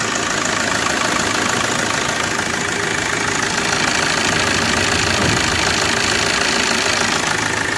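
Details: Maruti Suzuki Swift Dzire DDiS diesel, about 21,000 km, after timing chain repair for tapping noise, stalling and lost pickup: quick, even diesel clatter at idle, steady without puffing or stumbling; normal idle after repair.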